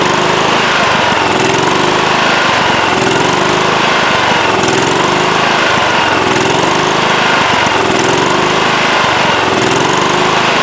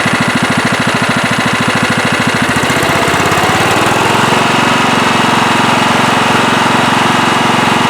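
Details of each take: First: Late-1990s Scotts lawn tractor with single-cylinder Kohler engine, after sitting a few years: speed swings up and down about every second and a half as the governor arm hunts; fixed by carburetor cleaning. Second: Late-1990s Scotts lawn tractor, single-cylinder Kohler, had surged after sitting for years; after carburettor cleaning and rebuild a chugging beat settles into a steady, even hum with no surging.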